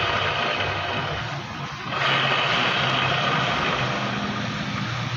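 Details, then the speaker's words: Scooter-type motorcycle, rear wheel spun by hand: a rough, raspy hiss rising and falling as the wheel turns; worn transmission (gearbox) bearing, to be replaced after removing the CVT. "mga Kaboss Amo, narinig nyo naman yung nakakairitang tunog ng gulong niya kapag pinapaikot. So hanapin natin kung ano yung naging problema."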